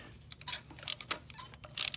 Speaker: you hear that right there that's a dry spark plug in the threads in there put in from the factory with no anti seasoned the threads with the special plating on the on the plugs